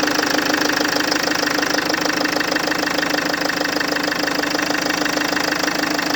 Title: FL2 Engine knocking